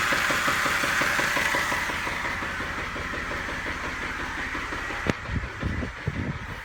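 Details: 2010 Jeep JK engine knocking after EGR work: steady knock about three per second, in time with the idle and clear over the running noise; cause not identified.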